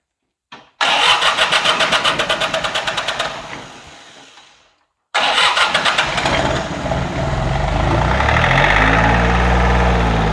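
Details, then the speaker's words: John Deere 855 diesel tractor, three injectors, barn rescue: cranks, catches briefly and dies, then restarts into an uneven, lumpy idle while injectors are bled; rough idle persists, fuel shutoff not fully open. "I'll start it up you'll hear it running kind of rough and I'm going to bleed this injector and you'll notice that the the note will change"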